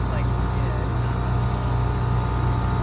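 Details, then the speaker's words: New ACiQ 5-ton commercial gas/electric packaged rooftop unit at first start-up on cooling. The three-phase scroll compressor runs backwards with a loud, rough, steady low drone and a coarse pulsing edge. It ran in reverse until two supply leads were swapped. "Think it's running in reverse. It doesn't sound right. Doesn't sound normal. Right. The compressor."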